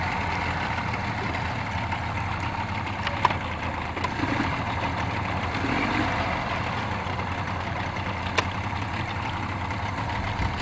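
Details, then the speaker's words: Small Yamaha outboard on a Boston Whaler idles steadily, then sharp abrupt chirp and immediate stall; telltale (piss) tube disconnected, owner considers it unrelated; cause unknown. "I have a piss tube disconnected off the back which is no big deal but it stalls with a chirp an abrupt CH and stops that"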